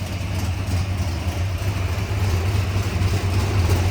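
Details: 1970 Ford Torino Cobra Super Cobra Jet 429 V8 with solid lifters, toploader four-speed manual, 9-inch rear: deep, even burbling exhaust at idle, steady low rumble with no misses or knocks; normal healthy V8 idle.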